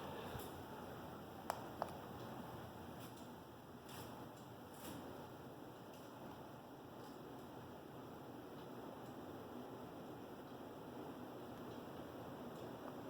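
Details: Hunter Berkeley 52-inch ceiling fan with remote, running on high: a soft, even, airy whoosh with a faint steady tick and no wobble, rub or hum. Normal operation.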